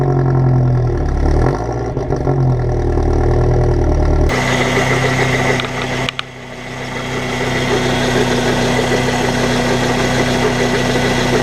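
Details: Mercedes CL200 supercharged petrol engine at idle with a steady knock, about four a second. The cause is the original Mercedes water pump's worn bearing after 20 years.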